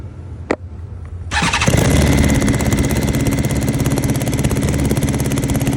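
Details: 2022 BMW S1000RR starting and idling: uneven, lumpy, airy idle with slight backfire; underpowered when riding; code 3A1CA2 injection valve 8 cylinder 4 line disconnected; likely exhaust leak plus unplugged injector; misfire on one cylinder.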